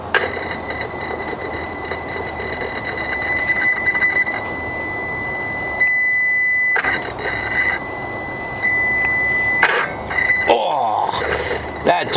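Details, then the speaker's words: Variable geometry turbo actuator driven manually by a test controller box: steady electric tone then a clunk as it breaks free from about 50–60% and snaps to 100%; sticking actuator, turbo in bad shape, likely causing surges. "it's actually hanging up oh when it sounds bad about 60% and it just it just doesn't want to go past that it's just it's just jammed oh it finally jumped and got to 100%"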